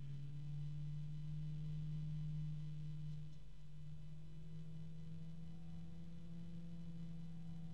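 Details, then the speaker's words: Cooler Master Blade Master 120 PWM fan sped up from near minimum speed toward maximum gives a steady, low, droning resonant hum with faint overtones. The harmonic resonance does not waver as it spins. "Ooh, there's our weird harmonic resonance right there."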